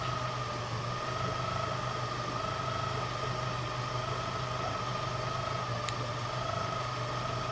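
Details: Yamaha F150 outboard, both engines the same: constant high whirring whine above a low idle hum from balancer gears short of oil; the noise peaks around 2000 rpm and fades by 2100 rpm.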